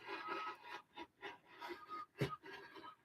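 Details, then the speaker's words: Rotary fabric cutter squeaks while cutting fabric: a short high squeak on each scraping stroke, about three or four a second; cause unclear. "now it's getting squeaky so that's cool at least it's freaking cutting unlike my other ones"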